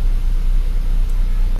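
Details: Nissan Grand Livina idling after its leaking coil protector sleeves and all ignition coils were replaced to cure misfire, rough running and a dead coil: an even, steady low rumble with no stumbling, so the repair worked.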